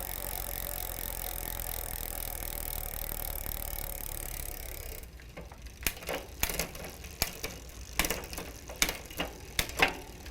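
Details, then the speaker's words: Huffy bicycle with Shimano rear derailleur after cable tension adjustment: smooth chain whir then light irregular freewheel ticks, no grinding; clean engagement into seventh, highest gear, properly aligned. "we go now we have good engagement into our highest gear so this is our seventh gear"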